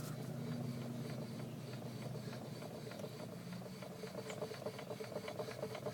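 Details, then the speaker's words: Chevrolet Cavalier front wheel jacked up and hand-spun, mic held near it: light regular ticking about twice a second plus faint brake rub; owner suspects a bad wheel bearing but thinks the clicking may be gravel. "this one has this weird uh clicking noise i don't know if it's the bearing or just something totally normal"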